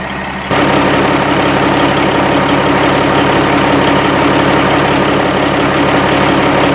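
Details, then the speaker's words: 1987 Kenworth T600 with a 3406B diesel, first start after sitting in a field over 20 years, with a fuel fitting leak sucking air: steady, even low rumble at idle with no knocks or misses; it runs good with excellent oil pressure right away. "man i'm pleased this punch i mean it runs and it runs good i mean it sounds good made excellent oil pressure right away"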